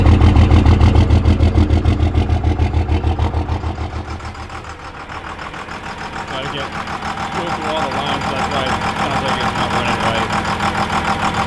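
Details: Diesel at idle after the lift pump primed the injector lines and the engine was cranked until it started: a firm, even chug of about 200 beats a minute that steadies and smooths as trapped air clears from the injector lines.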